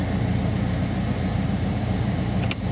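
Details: Peugeot 1.6 HDi diesel after crank-no-start repair, a sensor pigtail replaced with an aftermarket piece and the battery charged: fires and settles into a steady, even idle with regular low clatter, no misfire or hunting; normal idle.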